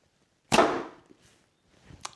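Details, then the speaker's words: New short Turkish bow after a quick fix: a small bump where the string caught was smoothed, and one clean release gives a soft fading whoosh and the arrow's hit with no clicking. "that you don't have this mysterious clicking noise here. And with that out of the way, listen. Nothing anymore. You see that? Now the string runs smooth. No noise anymore."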